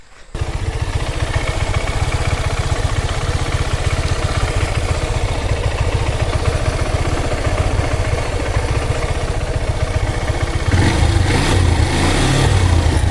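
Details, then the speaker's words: Honda Hornet 160R single-cylinder after timing chain, sprocket and tensioner replacement for engine noise: even idle with steady low thumping, no top-end rattle, clean quick rev at end; sound now smooth. "Tensioner മാറിയതിനുശേഷം വലിയ കുഴപ്പങ്ങളൊന്നുമില്ല ട്ടോ അപ്പൊ വണ്ടിക്ക് ഈ sound കാര്യങ്ങളൊക്കെ smooth ആയിട്ടുണ്ട്."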